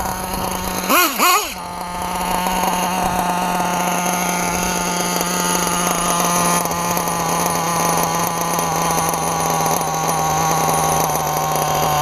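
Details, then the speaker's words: Old RTR Losi 454 nitro RC engine with TLR 2093 pipe during test and tune: two quick revs then a steady high scream; top end sounds thin, owner suspects slightly lean on top. "Remember guys, this is an old engine. Might be a little lean on top. Little lean on top."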